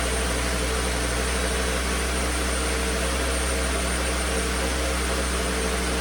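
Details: 2009 Volvo S40 T5 AWD R-Design, flood-damaged Copart car, alternator idler pulley had failed, low battery on a charger: steady even low drone with no knocks, misses or surging; engine running smooth.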